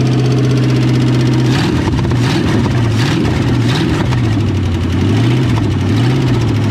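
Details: 1963.5 Ford Galaxie 500 hardtop, 390 FE V8 with prior no compression on #1 and blown-off oil filters, started after priming a dry fuel pump: steady V8 burble at smooth idle with light throttle blip, no knocks or ticks; oiling and running properly.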